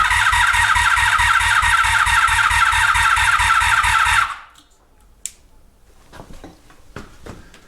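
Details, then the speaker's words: 1983 Honda Magna V45 motorcycle after an oil change and fuel system/petcock work; fuel is present but the battery is almost dead. Starter turns the engine over slowly and evenly for about four seconds, then quits without catching. No-start from weak battery. "now says we're onong don't know if I have a fuel pump hold on I don't know if I'm getting fuel folks this is why we're doing this I guess okay no I got fuel now update battery's almost dead going to go grab a new one"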